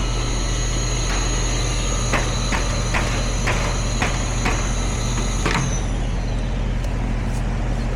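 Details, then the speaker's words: HVAC unit with a no-cool complaint: fan and compressor drone broken by irregular sharp clicks, then the hum drops out. The compressor kicks in and out, short cycling from a capacitor shorting because it was not strapped correctly. "sounds like that that compressor kicks in and out all right let's check that"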